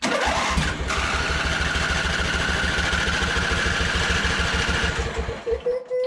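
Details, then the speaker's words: John Deere Z425 with a swapped-in donor engine, very little gas in the tank: rapid even chuffing, about two per second, that never catches. Fuel starvation, traced to a collapsing fuel line blocking flow; the line was replaced. "Good, except the engine. It may be running out of fuel since I put hardly in there."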